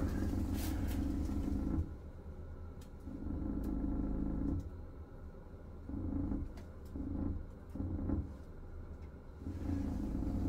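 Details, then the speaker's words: Ceiling exhaust fan running; low buzzing drone in bursts over fan hum as SMC ceiling panel vibrates, touching panel stops it. Cause: spare tiles laid loose on SMC ceiling panel; fix by placing cardboard under them. "자 지금 보시면 환풍기가 돌아가면서 지금 이 최종 계통이 진동이 생기는 데요 그렇게 만지면 안 나고 요 만져도 안나고 이쪽으로 지금 소음이 많이 하거든요"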